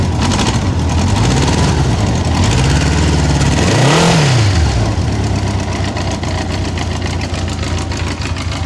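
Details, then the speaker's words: 1984 Honda Goldwing started cold, not warmed up: engine catches and settles into a smooth, even idle with a couple of brief throttle blips, running clean; normal cold start and idle. "okay so here's there's the bike running it's cold i haven't warmed it up at"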